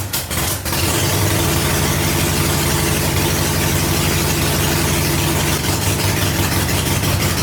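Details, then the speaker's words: 1985 Harley-Davidson Ironhead Sportster rescue, first run after ignition coil and spark lead checks: a couple of stumbles, then a steady, loping twin-cylinder idle that holds without dying. Normal idle. "yeah he runs man that's a good feeling to hear that noise"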